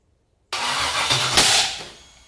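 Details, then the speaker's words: Junkyard LS 5.3 V8 first fire on an engine stand catches with a ragged, uneven burble and a sharp pop; backfiring. "Woo! Backfire. Alright, poppy, good."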